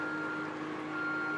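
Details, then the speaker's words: Lorry-mounted HIAB crane lifting at maximum capacity in XP mode: steady high beep in long pulses over low hydraulic drone, warning that the crane is right on max. "that beeping noise is to say that the crane is right on max now and i've got it in um xp which gives you that one last little push"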